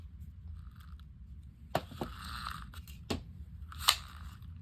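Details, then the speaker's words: South Bend Oren-O-Matic No. 1140 Model D automatic fly-fishing reel during reassembly after cleaning and lubrication: sharp, irregular metallic pops over a low room hum as the spring hook, not seated in the spring, pops loose. "okay that hook is not in that spring you hear it popping loose that's the hook in that spring"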